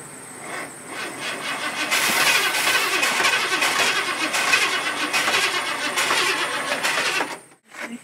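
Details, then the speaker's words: Old Ford extended-cab truck of unknown year, being started after sitting. Cranking catches into an uneven, sputtering run that surges then dies. Owner thinks it was flooded with bad gas, fouling the spark plugs; the plugs may be changed out. "I'm not convinced we didn't just flood it though maybe we'll change the plugs out we got new wires we did we fouled the plug up a little bit all right so we kind of flooded the motor I think personally with bad gas"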